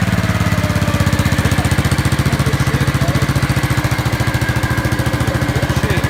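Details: Gravely 5865 with a 16 hp Kohler K341 single-cylinder: crisp, evenly spaced firing pulses with no skips or knocks, running perfectly after a rusty solenoid that put out only about 10 volts was found to be the no-start cause.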